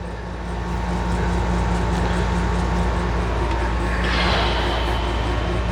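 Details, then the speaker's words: Rebuilt FC engine on its first start attempt: a harsh, steady gear grind while cranking, with no firing and a rasp near the end; the starter was not engaging cleanly and a different starter and solenoid were later fitted. "Sounds horrible. Starter."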